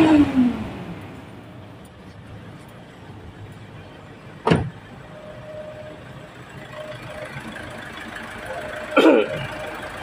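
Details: Mitsubishi Pajero/Strada Triton diesel after repair of diesel leaking into the engine oil: quiet settled idle with crisp throttle blips returning cleanly; revs smoothly.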